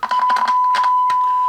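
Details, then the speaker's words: Hallicrafters S-20R receiver (1941-45, 8 tubes, 25L6 audio output) speaker: a steady 1 kHz test tone heard cleanly with test leads clipped directly onto the voice coil windings, after silence through the new output transformer, so the coil works and an internal speaker connection is bad. "I've actually got some audio there. So I'm not sure which one of these internal connections is bad."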